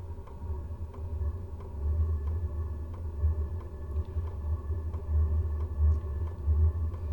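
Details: 12-volt WIPPRO diesel heater, about a month old, starting up on a cold December day. Sharp light fuel pump ticks roughly every second and a half over a low fan rumble; normal dosing pump clicking, quiet once running.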